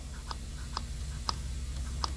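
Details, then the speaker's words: Honda ATC three-wheeler, carburetor setup after carb replacement (wide-open-throttle issue), choke open: light crisp tick as the slide drops and seats, a correctly fitted slide bottoming out normally, the little pop you want to hear. "that that's that slide bottoming out"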